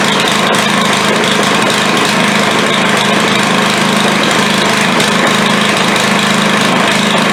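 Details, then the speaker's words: Craftsman 140cc edger single-cylinder after first start, runs loud but rough with a stumbling irregular beat; valves found badly misadjusted (intake far too tight), was blowing oil out the exhaust, plug to be changed; likely oil-fouled. "so all right it runs runs like hammered but it runs"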